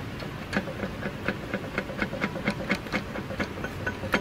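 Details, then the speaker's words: Chrysler minivan with the engine off, screwdriver prying the flywheel through a bell-housing cover: uneven loose metallic clanks about once a second, a broken flex plate, with rust spread over the bell housing. "yeah see that that flywheel is broken you can hear it and based on the rust that's a sign of the plywood has come apart"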